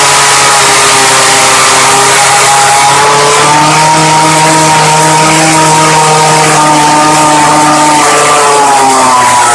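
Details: Early-2000s Craftsman Bushwacker 25cc 19-inch hedge trimmer, model 358.795792, cold start after new fuel line, air filter and 40:1 fuel: loud steady high buzz rising and falling cleanly with throttle; runs normally.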